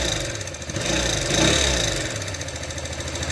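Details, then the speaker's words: New Alpha Motoland Scout 110cc moped, 600 km: dry light tapping from the cylinder head at idle, about three to four a second, persisting after the excessive valve clearances were adjusted; the oil pump is not delivering oil to the head. "стук в двигателе отрегулировали клапана зазор выставили были большие зазоры стук не прекратился нашли проблему Проблема в том что маслой насос не нагнетает в головку масло"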